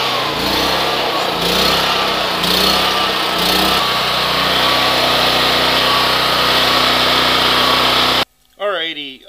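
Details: Recently maintained Pulsar generator running after a cold pull start at 20°F: a steady, even buzz with no misses, knocks or surging; running cleanly.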